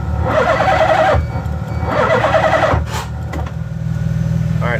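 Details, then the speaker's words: 1986 Mazda RX-7 with LH6 5.3 V8 swap on Holley Terminator X (24x/1x), ECU-controlled fuel pump, coolant 56°, 45° ambient: starter cranks in two bursts with a rough pulsing chuff, no start; cause not yet found. "know if you could hear that but it was kind of uh not backfiring exactly but kind of has like a weird pulsation sound if you will"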